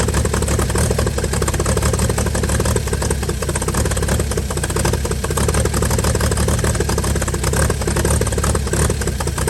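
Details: 1955 Chevy inline six truck revived after sitting about 30 years, solenoid from another vehicle, carburetor filled and leaking, just started: steady, even low idle with no knocks, misses or hunting; runs smoothly, normal idle.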